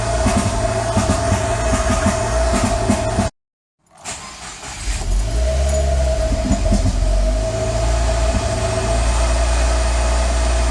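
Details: 2015 Subaru WRX with Mishimoto intake, EBCS, EGR and TGV deletes and catless J-pipe, cold start: uneven, stumbling idle under exhaust drone; rough cold idle from stratified cold-start fueling, later cured by tuner disabling it.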